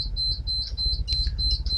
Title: Climcab Review- Incessant, insane beeping